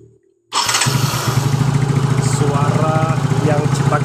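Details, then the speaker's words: Yamaha Mio J scooter after fixing dead electric starter, previously ticking instead of cranking: quick crank catches immediately into even throbbing single-cylinder idle, no starter ticking. Normal electric start. "di bagian ini pun sudah tidak ada ya teman-teman"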